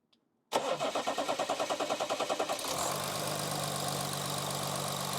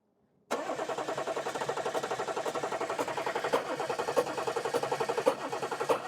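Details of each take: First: Audi A8 3.0 diesel non-starter, after replacing an injector whose leaking copper seal led to nozzle failure, cranks evenly for about two seconds and settles into a smooth, steady idle; repaired, normal start. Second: Audi A8 3.0L diesel that won't start: steady starter churn with even compression beats, about four a second, and no firing. Carbon is found from an injector blowing past its copper washer seal, and one injector is suspected of failing.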